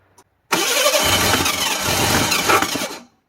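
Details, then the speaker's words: 1985 Ford Bronco II, 2.8L engine with fire-burnt wiring and an apparent partial Duraspark conversion, timing just advanced with a timing light: steady cranking nearly catches with a couple of uneven firing hits, then dies; no-start, owner thinks it may need more gas. "Advanced just about the time I think it's going to start it just glue maybe get some more gas in"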